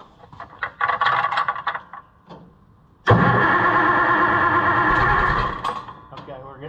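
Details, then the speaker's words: Oliver 1650 tractor after a new distributor with electronic ignition was installed: starter churns about three seconds while a few cylinders catch unevenly but never settles into a run; better than before, ignition timing suspected way off. "we're doing better than we were I'm probably way off on the timing"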